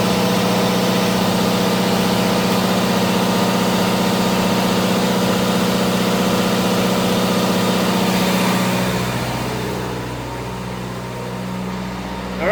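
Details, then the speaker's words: Onan DJC diesel generator, started stone cold after sitting a month or two, load bank switched between several hundred watts and close to 11 kW: steady even drone with firm beat through load changes, easing slightly near the end, no exhaust smoke; healthy under load. "And I want you to hear how the DJC responds to different loads. So I'm going to be switching between close to 11 kilowatts down to maybe like 2 kilowatts or whatever, just playing with the controls on the load bank."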